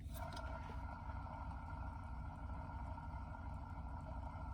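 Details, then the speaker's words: Marley commercial ceiling fan motor, opened up: steady low rumble with faint whirring from worn bearing; both bearings to be replaced. "I want to pretend that if you can hear a bearing, that bearing is going to have a short life. I don't think you should be able to hear a bearing."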